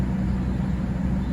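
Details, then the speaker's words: Mercedes S-class W220 blower motor on max after cabin air filter replacement: steady roar with even low hum, the earlier squeak and whine gone; normal blower operation. "since changing those filters just now i'm putting it on max i don't hear that squeak anymore"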